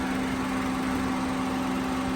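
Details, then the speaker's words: Car A/C system recharged to factory spec but one condenser fan had not been working: that second condenser fan switches on and runs with a steady, even hum and airy rush, no rattle or scrape, and the added airflow improves subcooling. "you're going to see that fan come on am I doing this right there we go oh you hear the fan come on"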